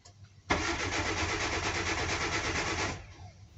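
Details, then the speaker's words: Car with a good charged battery and good starter, fuel line run into an empty bottle as a pump test: the engine cranks about 2.5 seconds without firing, with no pump hum and no gasoline coming out. The fuel pump is dead. "As we see there is no sound from the fuel pump No gasoline coming out of the tank This means that the fuel pump is damaged"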